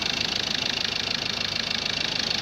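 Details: Ford Ranger 2.2 TDCi after engine and gearbox rebuild, accessories and radiator refitted: steady even diesel idle with fast regular light clatter, no knocks or rattles; healthy, run before road test.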